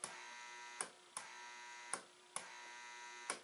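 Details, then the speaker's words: Mercury vapor lamp ballast, likely 400 W, briefly powered on test: loud steady electrical buzz with sharp irregular clicks; the noise issue was later fixed. "quick blip oh we can easily hear it buzzing from"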